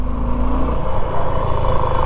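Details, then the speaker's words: 2024 Suzuki V-Strom motorcycle, quiet when cold, at steady idle with hands off the controls after riding a while: loud low rumble with rough rattly tapping clatter from the engine when warm; engine knocking, cause unconfirmed. "और अब अभी अभी दिखाता हू जैसे चलने लग जाएगी तो कटकट कट कट रही है"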